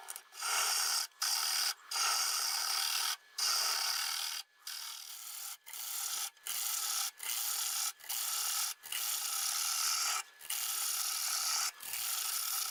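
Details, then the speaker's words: Dry, hard Boxelder bowl blank (about 8-inch circle, 3 3/4 in thick) cut with a 1/2 inch bowl gouge on the lathe. Dry, high-pitched rasping in short passes, no knock or chatter; the earlier noise disappeared and a crack was closing up. Normal cutting. "That noise sort of disappeared."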